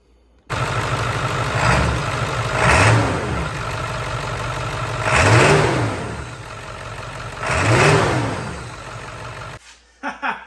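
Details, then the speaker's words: Ford F250 7.3L Powerstroke diesel, warmed up, revved with camera in the engine bay after installing new intake plenums to fix boost issues; steady idle with three clean rev blips, no smoke from under the hood, problem appears cured. "Well, it only took me about 2 weeks total to get this done, but I think we finally cured the problem, because whenever I hit the throttle in there and was revving it, I could see the black smoke blowing out behind the truck, none come out from underneath the hood"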